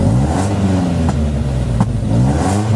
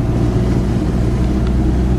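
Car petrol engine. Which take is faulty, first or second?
first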